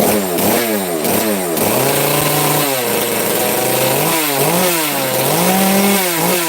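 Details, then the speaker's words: FarmMac F380 or F660 (Stihl clone) two-stroke chainsaw, started on full choke, clean rise and fall through blips and steady high rev, pitch following throttle without stumbling; sounds a little better than before, smoky, running healthy. "no that sounds a little better before all Smoke's going to make me cough"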